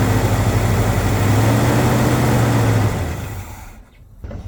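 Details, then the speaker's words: Big-block Chevy C30 Camper Special square body, sat untouched for years, carb cleaned at some point: deep, even V8 rumble with a steady lope. Runs decently. "it sounds good you know what it sounds pretty decent"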